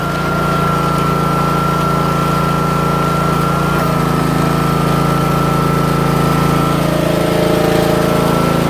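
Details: Troy-Bilt/MTD 27-ton log splitter, about 120 hours, after valve repair and refilling fluid to purge air: small engine holds a steady speed with an even drone and faint hydraulic pump whine, no knocks or surging; normal running.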